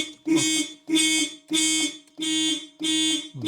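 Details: Volvo 945 that had sat since 2017, barn find, key turned for first start in 7 years: electronic alarm wails in regular bursts about every 0.6 seconds; the anti-theft alarm has tripped, and the exact cause is not confirmed.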